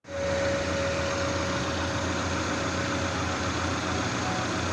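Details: 2010 Renault Logan 1.6 16v automatic: thin steady whine over idle for about 1.5 seconds at start, then fades; converter-to-engine flexplate gear wheel loose and broken, studs damaged, fixed by replacing wheel and studs.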